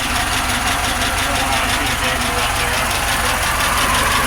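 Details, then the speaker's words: Pontiac Grand Prix GXP first start after revival, original spark plugs, open header: rough uneven idle with stumble about three times a second under hiss; misfire, bad plug wire suspected, unconfirmed. "sounds good in the back definitely sounds like it's missing a little that might be that coil that has the crack"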